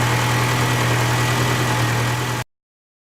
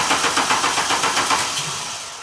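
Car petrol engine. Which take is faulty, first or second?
second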